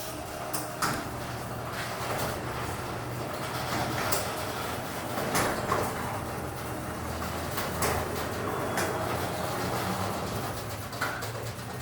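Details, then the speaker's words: Heavy garage door, about 400 lb, on opener after springs and cables replaced: steady drone with irregular popping, clicking and clanging cables during travel, new; cables look thin, cause uncertain. "It's a shame the door makes a lot of popping, but you can hear the cables clicking and clanging. Never did that before."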